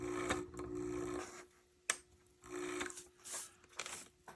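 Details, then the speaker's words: On30 model steam locomotive, broken with missing parts, run after realigning wipers: motor whirs in short bursts, stalls and restarts unevenly with a snap; valve gear rods binding. "ah we've got a bit of Leverage not leverage uh whatever these bars are all called getting stuck"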